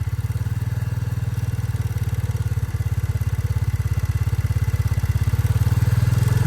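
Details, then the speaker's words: Royal Enfield motorcycle idling after a dealer service: light, even kit-kit tick at about three and a half per second over the low thumping idle, said to get louder at 60–70; source of the tick unclear. "यह मैंने start किया अपनी bike को इसमें अभी हल्की हल्की सी आवाज आ रही है किट किट की शायद वीडियो में सुनाई दे रहा होगा कि नहीं दे रहा होगा"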